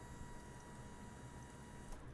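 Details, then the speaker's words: Lifan KPX 250cc EFI dual-sport motorcycle fuel pump flow test, 3-second prime into rubber hose: steady high pump hum with fuel gushing, then clean shutoff; strong healthy flow, filter not plugged. "Yeah, it's got a real nice flow to it. Took a little bit to fill the line up, but let's try it again."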